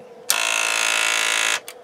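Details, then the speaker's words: Sony TC-K80ii cassette deck with an intermittent fault: after wires were moved, a loud harsh buzzing mechanical rattle for about a second, then a brief second burst; power supply suspected, an unplugged connector then found, servo board connection suspected. "wow what was that what is going on with this thing thing it's turned on so all I did was move some wires around no tape eery okay that is really weird sounds like we might have a bum power supply"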